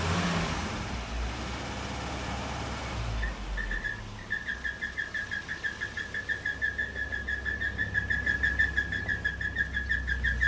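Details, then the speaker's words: Ford Courier truck up on jacks, engine running in gear while being driven: a high, thin whine rises over the engine and holds steady with a pulsing beat, traced to the gearbox. "That shit's coming from the gearbox."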